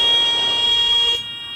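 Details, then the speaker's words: Light training aircraft in a power-off stall practice, nose held on the horizon and airspeed decaying: steady high-pitched stall warning horn sounds for about a second, then cuts off, before the buffet. "we're getting a lot slower than we should right you know that just by glancing at the air speed we hear that stall warning indication"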